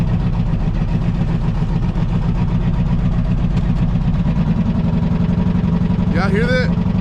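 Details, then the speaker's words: V6 Camaro idling on a cold morning after backfiring and sputtering: quick steady tapping about four per second over a rough idle; owner notes an exhaust leak behind the muffler but doesn't think it explains the misrunning; tick source unconfirmed. "tap tap tap tap tap tap tap tap tap tap tap"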